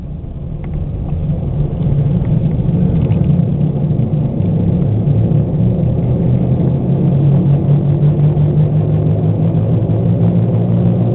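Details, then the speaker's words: 1998 Oldsmobile Cutlass driving at about 38–40 mph with a loud, deep, droning rumble from badly worn front wheel bearings (front hub assemblies), driven on for a long time; the worst bearings ever heard. "These are by far the worst wheel bearings I've ever heard in my entire life."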